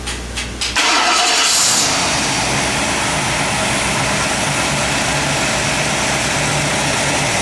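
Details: Ford crate engine on a test stand with timing preset to 36 degrees at 3,000 rpm (vacuum advance disconnected, checked with a timing light). Brief cranking, a quick catch, then a strong steady run with no misses, knocks or hunting; it starts and runs healthy.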